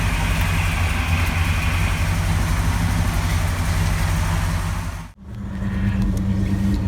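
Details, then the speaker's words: 1970 Ford LTD carbureted V8 after throttle dashpot replacement, pulled over after a drive: idles steadily but a little fast because idle speed was adjusted slightly high; idle speed slightly high. "the idle speed is a little high i did adjust that maybe i should have left it alone"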